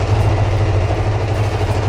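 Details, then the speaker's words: Kawasaki GPZ600R (ZX600A Ninja), first start after sitting about 4–5 months, cold on choke at around 1500 rpm (stalls without choke): steady, even low rumble at raised fast idle, no misses or knocks, warming up cleanly. "Can hear the engine giving it some, trying to warm up. I'll leave it at that."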